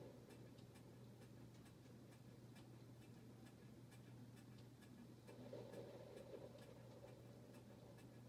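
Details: Harbor Breeze Bella Vista ceiling fan: quiet hum with light uneven clicking about four times a second as it turns; loose mounting bracket makes the fan wobble and noisy.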